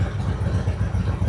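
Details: 1999 Harley-Davidson Road King, original owner, carbureted, after carburetor replacement and new NGK plugs replacing Champions, stock motor: deep, loping low thump at a steady uneven-firing idle with no misses or stumbles; running cleanly.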